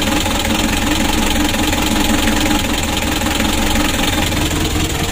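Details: Mitsubishi L300 diesel, warmed up, engine revved: loud, coarse, uneven rough running with harsh shaking; engine also shakes badly cold, compression leaking into radiator (air bubbles) and heavy blow-by; many users, cause unconfirmed before engine teardown.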